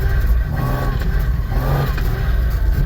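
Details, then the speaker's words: Drift car with a CD009 transmission, test drive around the parking lot at night after repair of an unidentified transmission-related clacking noise (clutch, flywheel or internal suspected): engine drone rising and falling with throttle, faint gear whine, no clacking or banging; normal gearbox noise. "still makes CD09 noises, but whatever that other noise was a lot worse than the CD09 noise."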